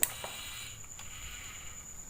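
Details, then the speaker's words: 3000W voltage stabilizer, replugged: sharp click at power-up then lighter ticks over faint high whine; no harsh noise, output 220 V, relay switching normally. "Aman rekan-rekan? Tuh. Tidak ada suara beringsik lagi."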